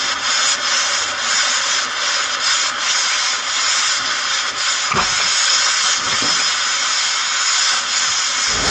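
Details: Gen 3 turbo LS drag car, hot after an overheating test drive: loud steady hiss of steam as the steam port hose from the cylinder heads came off, spewing distilled water and Water Wetter coolant.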